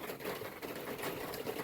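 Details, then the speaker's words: Before new seamless gutters: water dripping off a dormer onto the lower gutter cover of a standing seam metal roof, rapid dense tapping like a sewing machine clattering; fixed with new gutters and Leaf X covers. "okay just cut to the job and listen to this the water is dripping off the dormer and landing right on the cover of the lower gutter"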